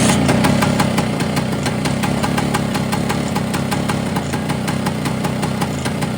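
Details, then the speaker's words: Vespa with Polini 177 two-stroke kit after new piston rings, cold, no cooling shroud: idle with a fast light metallic rattle over the exhaust note; top end rattle persists, owner fears seizing it again. "But she broke. I've still got that top end rattle."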